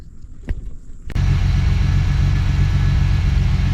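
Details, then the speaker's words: 1979 Pontiac Firebird, V6 revived after years of sitting, warming up and smoking a bit: catches after a crank and settles into a steady, even low idle with a smooth, healthy rumble. "This thing runs way too freaking good."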